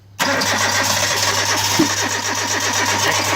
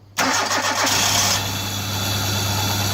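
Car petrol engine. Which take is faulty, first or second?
first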